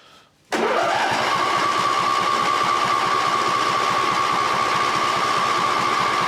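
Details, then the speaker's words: Cub Cadet LT1550 riding mower, no-start, old oil, after carb spray: catches and settles to a fast, uneven putter with a thin high whine; runs lean and hunts, carb is brand new, fuel suspected. "it's docking embarking so it's [Music] lean there's not a whole bunch I can do with that"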